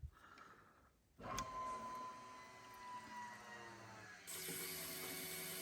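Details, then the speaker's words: Chevrolet C10 LS swap, electric fuel pump with new thicker wire after filter and release valve install, pressurizing system: whine drops in pitch as pressure builds, then hiss of flow; no leaks at filter, normal priming. "okay we're getting it flowing through it's filling up let's go check her out"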